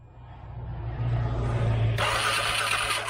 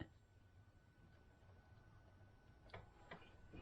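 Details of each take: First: 2013 CFMOTO Z6 with corroded relays: starter cranks at a steady rhythm, then a sharp hiss; engine spins but never fires. Fuel pump relay pulled, no power on orange wire while cranking; cranks but no fuel pump power. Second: 2013 CFMOTO Z6 during fuel pump troubleshooting after relay corrosion cleanup, power cutting out after about five seconds, suspected short: faint sharp clicks about half a second apart in a quiet room; fuel injector clicking, opening and working.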